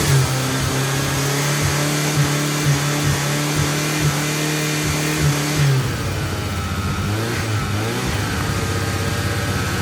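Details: 1G DSM 4G63 (Eclipse/Talon/Laser) just restarted after a no-crank no-start, suspected bad ECU or MPI relay: uneven, wavering idle settling lower after revs drop; rough idle, owner suspects bad fuel, unconfirmed.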